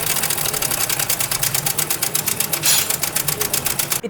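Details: Honda CD70 motorcycle single at idle before repair: fast, sharp metallic clatter about eight ticks a second from the top of the engine; worn, slack timing chain, fixed by replacing the chain. Timing chain rattle.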